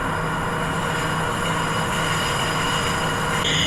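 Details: Lathe grooving an LG2 bronze gland to 19.35: steady cutting hiss with thin, high-pitched ringing that sharpens near the end, the grooving tool chattering at the groove bottom.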